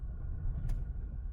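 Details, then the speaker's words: Ford diesel camper van at tick-over: a low, steady rumble with no surging, the noise now gone after refuelling with Shell V-Power; owner suspects an earlier bad batch of fuel caused the rough idle and surging. "It's idling. It's not surging. The needle's bang level. The engine on tick over is not making that noise. It's ticking over."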